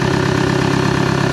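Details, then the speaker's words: 2014 Chevy Cruze 2.0 diesel, no-start, running with the intake pipe unhooked (dies when refitted; failed turbocharger found as cause): steady, low idle with an even rhythmic chatter, pointing to an intake restriction; rough idle with intake disconnected. "I'll show you what actually happened because I already messed with it so once I unhooked this it would run I actually set this back on the vehicle died so I knew there was a restriction in the intake system"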